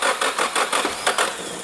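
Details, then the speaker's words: Nissan 180SX on a Haltech Elite ECU, retry while holding a button so the fuel pump doesn't prime: steady cranking about five beats a second that nearly catches but never runs. "oh it wants to go it's going to go is it going to go it's going to go no"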